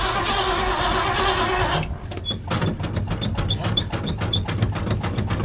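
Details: Old Ford Bronco in winter (December 2022), cold-blooded and hard starting: a rough rush, then slow, uneven cranking about three per second that never catches. Hard cold start with long cranking.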